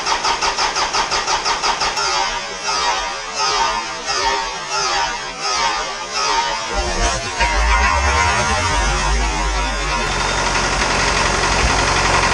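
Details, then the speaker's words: Isuzu 4BD2T diesel on initial startup after priming the air out of the fuel system: about a dozen even cranking beats, then it catches into a steady, even idle clatter. The owner had feared an injector leak, and oil leaks were later traced to the wrong crush washers. "there was a bunch of air in the system so I primed it until all the air bubbles came out once again so I'm hoping there's no leak somewhere in one of the injectors I'm hoping that's not the case but let's try this again"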